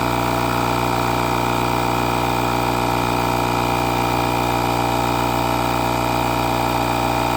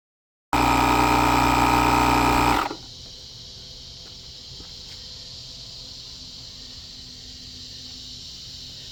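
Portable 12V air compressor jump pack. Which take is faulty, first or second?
second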